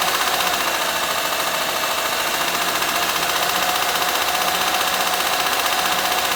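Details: Honda Pilot 2 engine at steady idle, heard both hot and cold: light, fairly regular tapping about three times a second; internal engine knock, cause not pinned down.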